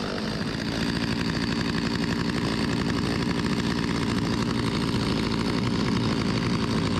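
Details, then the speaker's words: Stihl 025 chainsaw with replacement carburetor, after fixing hot no-start and flooding, holds a steady raspy buzz with even firing, no sputter or bogging while cutting; normal running, chain dull. "It's pretty good. The chain need to be sharper, but ain't gonna win no contest, but pretty good. Rips, baby."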